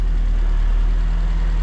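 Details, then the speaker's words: Turbocharged wagon at idle after fitting the thermostat, coolant and ECU: a steady, even low idle with no whirring or grinding. The earlier bearing noise usually heard at idle is gone. "oh you don't really hear it that weird bearing noise yeah not anymore that's awesome normally you would hear that noise on idle we don't hear it anymore"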